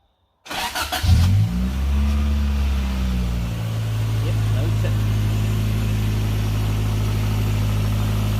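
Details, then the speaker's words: Toyota AE92 with 20-valve Blacktop engine, cold, first start after fitting the car's original 16-valve pump to cure an old tick: cranks, catches cleanly into steady, even low idle with no ticking. "hopefully the old tick noise does not happen. This is a cold engine at the moment."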